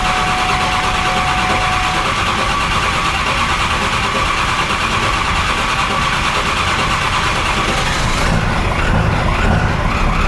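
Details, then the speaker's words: Triple-turbo 7.3 Powerstroke with very large injectors, IPR valve just swapped after a run of bugs: it cranks and catches, then settles into a loud, steady, clattering tractor-like idle that sounds like it is running right. "Told you. It runs. Sounds like a tractor."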